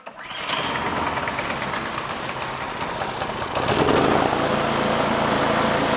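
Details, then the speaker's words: Craftsman 26-inch two-stage snow thrower with a Quiet Technology 270-QU engine that had sat for years, pull-started on the bench after debris was cleared from the carburetor. It catches at once, settles into a steady even buzz and speeds up cleanly: running normally. "okay so there we have it uh that little bit of debris that was in that carburetor was stopping it from um running"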